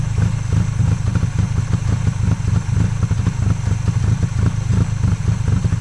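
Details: 1995 Honda Acty carbureted engine, jump-started in 27°F cold after sitting 2–3 weeks: loud, lumpy, clattery rough idle with heavy white smoke and fuel pouring from the air filter and charcoal canister; owner suspects a stuck carburetor float.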